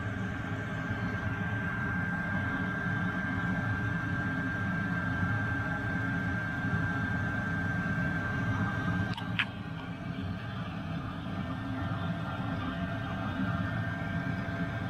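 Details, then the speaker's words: Workshop heater running ducted over a bench, warming a sealed garage from 18 toward 25 °C: steady blower hum with even whirring tone, no misfires or stalling; running normally. "that is now belting out really really hot air and this garage is really well sealed so it won't take long to bring the temperature up to about 25"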